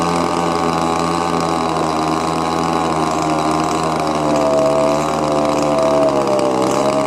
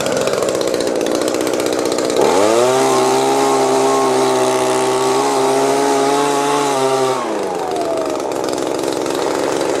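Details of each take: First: Old Echo leaf blower with a cracked primer bulb, choke on: small two-stroke holds a steady high buzzing idle that never settles; mixture screw adjustments have no effect. Later found a stuck carburetor metering lever (flapper). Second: Old Echo blower after a carburetor hang-up that kept it stuck at high RPM was fixed: the buzzy idle climbs smoothly to a steady high whine, holds about five seconds, then drops cleanly back. Throttle response is healthy.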